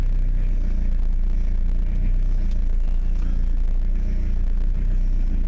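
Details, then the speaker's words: Renault Master 2 van after replacing the lower suspension wishbone: steady low rumble with no rubbery squeak or creak; no suspension squeak. "Ouais, j'ai pas de bruit de caoutchouc. Bon, je vais aller faire un tour sur la route, puis on va voir ce que ça donne."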